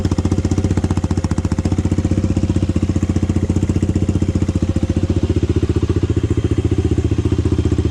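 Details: Honda 400EX ATV single-cylinder four-stroke, first start: steady idle thump about 220 beats a minute, no knocking or valve-train noise; bottom end sounds okay.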